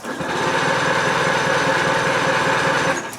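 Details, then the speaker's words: Outboard motor with its water supply on, cooled by cranking with no spark, key start attempted without choke or fast idle on a hot day: the starter chugs steadily about four times a second for three seconds and never catches. Cranks but won't start without choke. "okay so you can hear it right there it's not starting"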